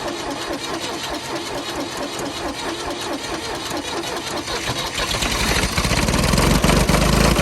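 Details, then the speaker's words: Ford diesel tractor over 40 years old, long sitting, cold start in freezing snow after an overnight battery charge: even diesel clatter at about four beats a second that swells as revs climb; after 10–15 minutes running it seems to be doing well. "all right guys we've had it running for a good 10 or 15 minutes now she seems to be doing well"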